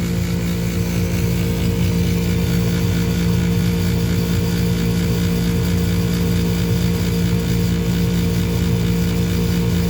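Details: Furnace motor runs with a loud steady hum and rough fluttering rumble underneath from a worn motor bearing.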